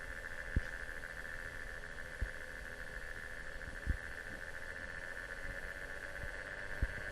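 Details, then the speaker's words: Enermax Coolergiant 480 W power supply fans adjusted from minimum to maximum speed: quiet steady whir, constant soft tone, no bearing rubbing or clicking; normal fan operation. "Now have a listen as I increase the fans from the minimum to the maximum position."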